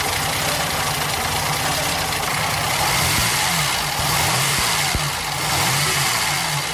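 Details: 1930 supercharged twin-cam classic racing car, fitted with an added aviation fuel pump: the engine runs steady with even firing under music, no knocks or misses. Sounds healthy.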